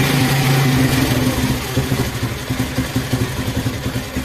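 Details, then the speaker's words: Honda 70 motorcycle during idle speed and mixture (petrol) screw adjustment, screw backed out to where it sounds loudest; single-cylinder putter starts steady, then dips and pulses as idle changes, responding normally; normal idle. "बाद ऐसे से करना है loose जहां पे हमें आवाज सबसे ज्यादा आ रही है वहां प छोड़ देना है"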